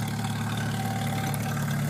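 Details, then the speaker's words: 1989 Jeep YJ fitted with a 1995 2.5 EFI four-cylinder and five-speed, cold start in snow, idling in neutral with heater off: rough, steady clatter under a low even drone while warming up, sounding almost like a diesel; cold idle clatter. "Start it right up. Let that warm up for a bit. Sounds like a diesel almost."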